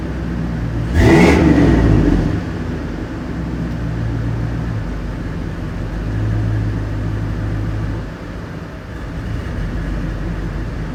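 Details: Chevrolet Suburban 5.3 V8, January 2018, revved once then idling. The idle rises and sags instead of holding steady. New intake gaskets, knock sensors, throttle body, intake and MAF never found the cause; the owner suspects dirty injectors, fuel, or the fuel pump.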